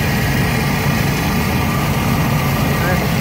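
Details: 2001 Chevy S10 4.3 L, idling after a loose distributor cap was found as the problem. Smooth, even low rumble with no misses, knocks or ticks; normal idle.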